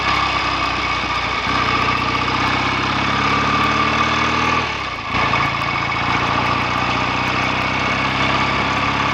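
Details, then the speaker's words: BSA A65 after a roughly 6-mile test ride, clutch spring preload increased to stop slipping and carbs and plugs drained and cleaned to cure a misfire; steady, even twin idle with no stumbles or knocks, clutch no longer slipping. "So that's certainly an improvement, and the clutch isn't slipping anymore."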